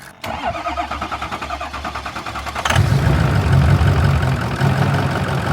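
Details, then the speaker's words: Plow/salter dump truck with 126,000 miles, started after sitting about four years: steady starter chugging about three per second for a few seconds before catching into a rough diesel idle. The gauge read no fuel, it soon ran out of fuel, and the exhaust may be broken. "are you going to try it oh fuel going it says no fuel"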